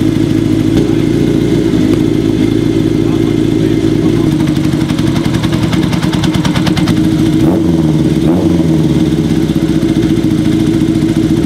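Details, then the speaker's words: Kawasaki KZ750 four-cylinder at idle during carb sync with manometer, after fixing vacuum leak with new boots and static timing; loud steady idle with slight lumpy waver, carbs close but not quite balanced, bike getting hot. "next week we can finish up syncing up those carbs it's sounding good already it's close"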